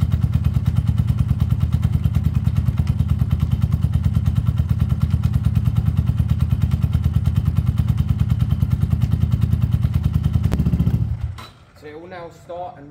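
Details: Peugeot Tweet 125cc scooter with new top end fitted, automatic choke connected: even, steady thumping beat around three firings per second with no misses or cutting out, then a clean shutdown; running healthy after the repair.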